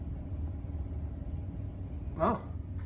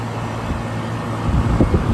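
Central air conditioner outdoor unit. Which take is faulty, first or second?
first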